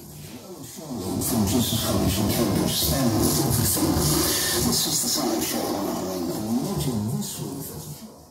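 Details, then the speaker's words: Yamaha RX-V375 receiver on FM radio with one speaker connected, after a period in storage: harsh, crackly, badly distorted output. The same happens on every source and connection, and auto speaker setup reports no speakers connected. Cause unknown. "As you can hear, it's extremely distorted. That's only on FM, just so you can hear."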